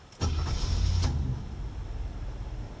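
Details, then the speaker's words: Cold start of a 1975 Chevy Nova, 110 horsepower, bought at auction, very basic car: brief crank under a second, fires straight away and settles into a steady low rumble; described as very quiet. Normal start. "it's so quiet guys crank windows 110 horsepower it it really sounds like a rocket taking off it's so it's so quiet except for a constant Shh when you take off"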